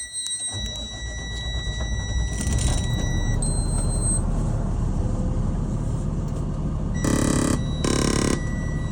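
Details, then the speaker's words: 2021 Renegade Verona 40 VBH motorhome, Allison transmission, 57,000 on the odometer, diesel cold-started after sitting: steady high warning tone then short beeps over diesel rumble, low-air alarm while air brakes fill; shuts off in seconds. "You can hear that beeping right now because it hasn't been running for a while, so there's low air as they're filling the air brakes. And that'll shut off in a few seconds."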